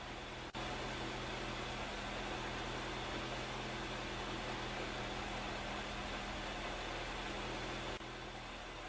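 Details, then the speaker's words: Toyota AE86 petrol engine with factory exhaust idling after leak repairs: steady, even hum with no puffing or ticking, no exhaust leaks; alternator reading 14.2 volts; a loose exhaust shield with one bolt missing rattles. "Nothing special, it's just a factory setup, but at least there are no exhaust leaks. Exhaust is alright, doing good."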